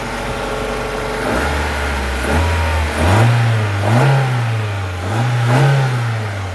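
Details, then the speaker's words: Mazda 323 Familia with a B6 twin-cam engine just revived after 5 years: the idle steps up into several clean, quick blips with no miss, knock or rattle, and no leaks are seen; it runs smooth and sounds healthy. "Yeah, appears to be no leaks down here. It all appears to be running smooth, so that's a plus."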